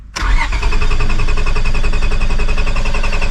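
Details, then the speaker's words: 2002 Honda Accord coupe V6: starter cranks at brisk even rhythm but never catches despite good battery; owner next suspects fuel pump relay; crank no start. "Starting but not starting. But we have good battery. So, next thing will be relay pump."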